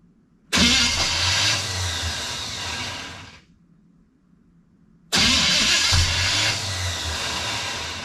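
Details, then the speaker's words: 1974 Pontiac Ventura cranking with fuel poured down the carburetor: two whirring cranking bursts that nearly catch, then cut off abruptly as the starter hangs on a damaged spot on the flywheel ring gear. "About the time it tries to bust off, it hits that spot on the flywheel."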